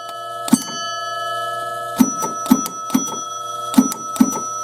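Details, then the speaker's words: 1968 Chicago Coin Gunsmoke pinball machine under repair, rollover stepped through five positions: six sharp clean sustained bell strikes in uneven sequence; scoring chimes working properly after fix. "so we fixed it. Very cool. We fixed something that we didn't even know was broke."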